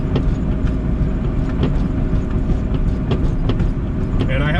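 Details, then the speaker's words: Turbo EF hatch making 350+ hp on a street drive: irregular dull clunks, two or three a second, over bumps under road rumble. Front suspension clunk; owner suspects the pillow-top top hats of the Maxpeed coilovers. "bit of a clunk in the front end you can probably hear and i think it's because of them uh i put those max peeding coilovers in the uh the ones with the pillow top the pillow top top hat and i think those top hats when they move around they make noise"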